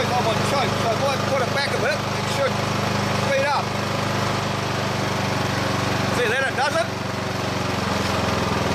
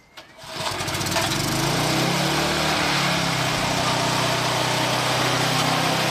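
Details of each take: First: Old Briggs and Stratton lawn mower engine, about 20–25 years old, stuck at a steady low idle drone that won't rev even at full speed lever, only on choke; a bent tab on the throttle linkage blocks full throttle. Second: Old Briggs & Stratton mower after carburetor float/spring fix and air filter refitted; catches quickly and settles into a steady, even high-speed drone with no hunting or surging; running healthy, no longer failing to rev up.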